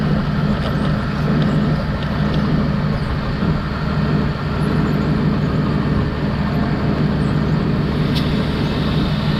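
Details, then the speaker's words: Jeep idling after the accessory belt was cleaned of belt conditioner with degreaser: steady low rumble, belt squeak gone; slight play noticed in fan clutch. "It's now clean. The belt squeaking is gone."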